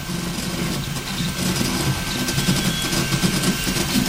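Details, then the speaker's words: Riki200 v3 pulley 3D printer, first print at 180mm/s, 4000mm/s² acceleration: busy even buzzing with thin steady high tone and quick fluttering moves; healthy before NEMA17 later skipped from overspeed. "It's cute, it makes a really cute sound."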